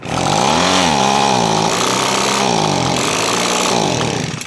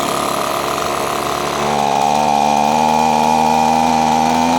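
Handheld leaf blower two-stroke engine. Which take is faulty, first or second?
first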